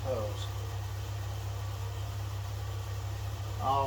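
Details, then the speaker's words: 1941 GMC one-ton pickup, 230ci straight six, first run after 20 years; throttle doesn't stay set; steady fast idle with an even low hum that never settles; high idle. "there's another like a high idle on this thing from what i can tell so it doesn't really stay set as i move it"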